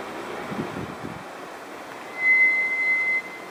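A thin, steady high-pitched squeal lasting about a second over quiet background; the brakes squeal, cause not yet known.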